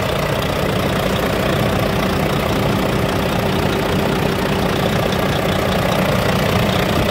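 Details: Volvo D13 dump truck engine, hard starting after 5-10 minute shutdowns, after replacing faulty one-way valve, pressure return valve and both fuel filters: steady unhurried idle clatter, no misses or hunting, runs cleanly.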